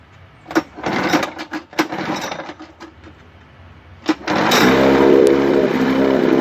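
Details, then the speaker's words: 1955 Mercury Mark 20H 16HP racing outboard after correcting badly off ignition timing and a cracked number one spark plug boot: a few pulls, then catches into a steady, even two-stroke buzz with no misfires; normal running. "but now i got it running really good my trial and error i picked up a shot manual too for the motor that helps a little bit but at this point i'd like to start it up for you and show you how nice it runs"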